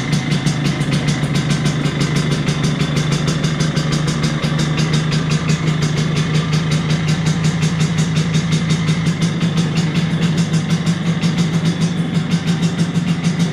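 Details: 1983 Vespa PX125E, first start after six-month full restoration: overhauled engine, new crankshaft, new 177cc cylinder kit, new bearings and clutch discs; crisp rapid even two-stroke popping at steady idle, no misfires or rattles; normal running.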